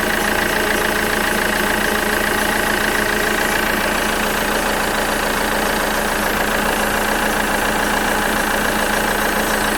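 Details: Alfa Romeo 159 with a strange noise at idle: steady engine hum with a whirring tone and a faint tapping about three times a second.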